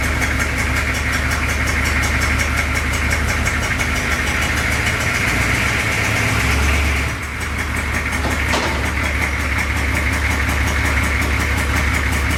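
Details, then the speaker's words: 6.2 diesel V8 Suburban at idle with a terrible exhaust leak: a sharp puffing tick about three times a second over the rumble. The fix is replacing rusty pipe with pipe from the junk pile. "right now she's in for a terrible exhaust leak so we're gonna try to fix that"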